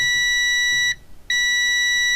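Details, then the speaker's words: Multimeter continuity test on the power supply board of a Cambridge Audio Minx Air 100 speaker with no power, tracing the plus rail: steady high-pitched beep, briefly interrupted then resuming; connection present. "You don't need just the meter to hear a beep, do you? No, you don't. There we are. Lovely beepy."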